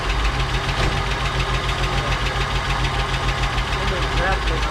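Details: 1959 Cadillac project car, unstarted for 11 years, first run on very little fuel: light ticking about three per second over a lumpy idle; noisy lifter suspected, not confirmed.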